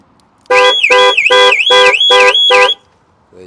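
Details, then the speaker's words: Range Rover Evoque (stolen-recovered, 52,000 miles): six loud wailing siren bursts at about three per second, then silence, as the alarm goes off on battery reconnection before unlocking with a newly programmed key. "the moment of truth but unfortunately the alarm is going to go off again it's going to be noisy"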